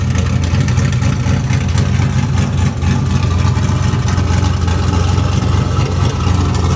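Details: LQ4 V8 swapped into a Fairmont, running on Holley Terminator X: deep steady rumble with even beat, no ticks, misses or knocks; idles cleanly.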